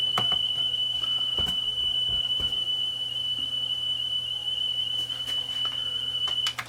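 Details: Sony TC-WE405 double cassette deck, left deck, one common motor driving both transports via belts, belts not broken or stretched: steady high test tone wavers in pitch; wow and flutter, cause not confirmed.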